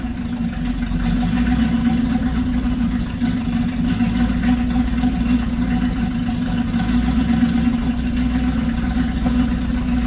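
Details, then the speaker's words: LaSalle engine, phone facing the exhaust, throttle held constant at about 1/4: exhaust surges and sags with a rough lumpy beat; owner suspects anti-percolator rods causing fuel starvation, unconfirmed. "And by hearing the exhaust, maybe you'll hear the roughness of it."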